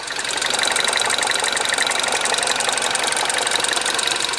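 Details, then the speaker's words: Rebuilt Mini Cooper S at idle, at its first oil change: light, fast top-end ticking about four per second that occurs only at idle and doesn't rise with revs. The owner suspects a hydraulic lifter rather than the timing chain. "I don't think from the timing chain I think it's possibly coming from maybe one of the hydraulic lifters it sounds right at the top end"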